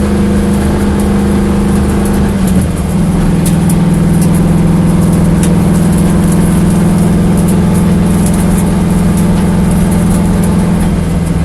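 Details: Corvette engine at a steady low idle with an uneven, stumbling beat and a slight surge near the start, a lope typical of a misfiring cylinder. Engine misfire.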